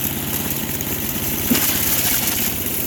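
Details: Craftsman 4 HP wood chipper/shredder with Chinese carburetor, warming up after starting: small single-cylinder engine holds a quick, even idle with steady firing and no hunting or stumbling.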